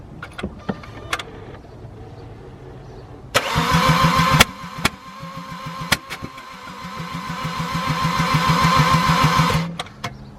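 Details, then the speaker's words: BMW E92 335i N54 during a rebuild, with a fully charged battery; uneven, surging cranking about three beats a second with occasional sharp pops and no start. The cause is unknown; owner wonders about low or no compression. "I actually didn't hear those like pops before. Not too sure exactly what that could be. I couldn't really hear it too good from the actual driver's seat. But you guys can hear that surging sound when it's like cranking."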